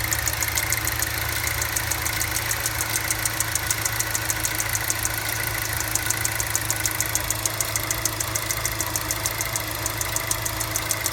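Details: Cold-start ticking on a GM LNF petrol engine: steady light metallic ticking at idle, about three or four taps a second, only on initial start-up, going away once the engine warms up.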